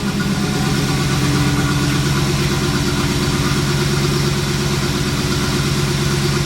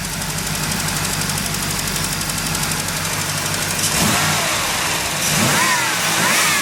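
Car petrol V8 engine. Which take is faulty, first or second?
first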